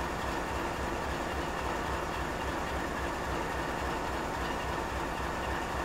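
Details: GE 7FDL16 diesel engine at high idle: steady, even diesel drone with a constant low throb and no knocks or misses; healthy high idle.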